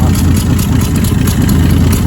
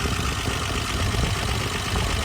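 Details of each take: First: 1966 Dodge Dart GT, Slant Six 225, idling: steady, loud idle with a rough, puffing chuff in the beat. Exhaust leak at the manifold; big leak at the front, thin homemade EGR plate possibly not sealing, cracked intake/exhaust manifold gasket. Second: 1966 Dodge Dart GT with slant-six 225, idling with a low, even burble after the exhaust manifold leak was fixed. No ticking or puffing and no gas escaping; the leak noise is gone.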